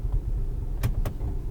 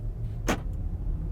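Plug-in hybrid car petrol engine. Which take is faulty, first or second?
first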